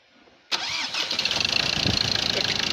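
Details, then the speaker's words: Ford Ranger 2.2 TDCi after engine and gearbox rebuild, accessories refitted: starts first turn of the key and settles to steady even diesel idle clatter; clean start. "ቁልፍ ነው ብድግ ያለው በጣም በአሪፍ ሁኔታ ይሄን ይመስላል።"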